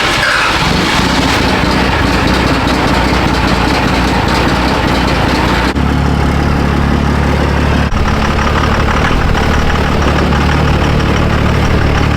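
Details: Rebuilt Duramax diesel truck after a cold start at about -4 outside: steady, even low diesel rumble with no misses, knocks or odd noises; healthy idle.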